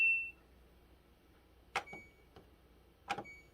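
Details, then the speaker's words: LG WM2016CW washer after replacing door switch and lock assembly (previously repeated clicking and dE error): short beep then two clean clicks as the door latch engages; lock now working normally. "and voila the machine is now working the job is done"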